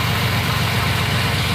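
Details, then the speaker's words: 1993 Chevy Lumina idling after sitting about six days: a steady, even low idle with a soft exhaust pulse and no stumbles, running better than a moment before. The idling issue seemed to fix itself. Normal idle. "maybe you can hear it from the exhaust but it is running better than it was a second ago maybe it's just because I had it sit in a couple days"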